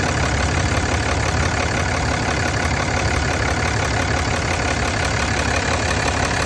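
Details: 2007 Dodge at idle: rough, uneven chuffing and hiss over the low engine rumble, consistent with heavy crankcase blow-by; cause suspected, not confirmed.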